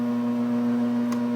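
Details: GE AJA12DFV4 air conditioner, made 1997, plugged in with the dial switched off: loud, steady low hum as something stays energized until the circuit eventually trips; problem appeared spontaneously in normal use; loud hum while switched off.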